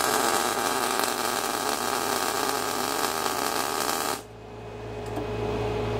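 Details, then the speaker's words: Everlast Cyclone 212 MIG welder at 19.1 V, 281 inches per minute wire speed and 50% inductance: even, steady frying crackle for about four seconds, fatter than at low inductance. Normal MIG arc. "do you think a little fatter we're at 19.1 281 on the inches per minute 50 percent inductance"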